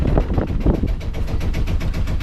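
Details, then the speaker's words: 1983 Cape Dory 25D, original Yanmar 1GM single-cylinder diesel reportedly low on compression: steady even thump at just above 800 rpm idle, gearbox disengaged, warming up; sounds healthy. "what is just uh the rpm is just above 800 rpm right there but we're gonna let it warm up"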